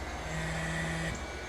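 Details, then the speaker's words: JVR chamber vacuum sealer pulling vacuum: steady, even low hum with a faint constant tone, no knocking or rattling; pump runs smoothly. "I'm just going to go ahead and run the pump just so you guys can hear how it sounds and see how it works in action, and that way we can compare maybe the difference in the sound."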